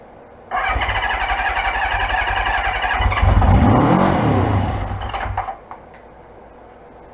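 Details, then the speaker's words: 1976 Honda CB550 build: rapid starter cranking, then the engine catches and revs about two seconds on starting fluid before dying; had compression, confirms it fires. "that's about all it's going to get off of the starting fluid but I know it runs I know that it fires"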